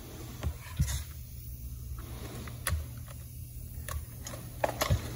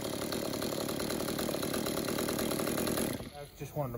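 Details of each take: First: Stihl MS-192 top-handle two-stroke chainsaw: weak uneven sputter that can't hold idle, strained rev that won't climb clean; restricted exhaust, gummed spark arrestor screen likely from too much oil in fuel, before repair. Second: Stihl MS-192 top-handle chainsaw that would not idle or rev, after cleaning an about 80% clogged exhaust spark screen with a torch: steady crisp two-stroke buzz at constant speed, no stumbling or bogging; running normally.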